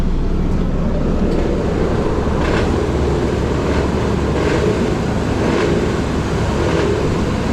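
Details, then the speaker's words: 2014 Ford Escape with 170,660 miles, customer reports vibration noise; heavy steady engine drone with a faint sharp tap about once a second; knock suspected from the lower end of the motor. "that doesn't sound good i'm going to get this on the alignment rack and see if that's coming from the injector pump or from the bottom of the motor does not sound good sounds like it's on the lower"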